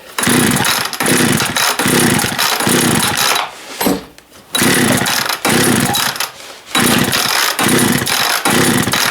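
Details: Long-stored engine, fuel dribbled into carb by syringe: rhythmic pull-cord bursts, engine tries to catch then dies each time; fuel starvation from gummed carb, carb rebuild planned.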